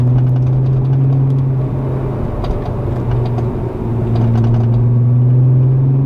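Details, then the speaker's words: VR six-cylinder engine at idle (a newer Mk4 VW shown alongside a 1987 Mk2 Jetta GL project): a smooth, steady, deep burble with an even, unbroken beat. It sounds healthy. "the vr sound just like it doesn't get any better i don't think honestly"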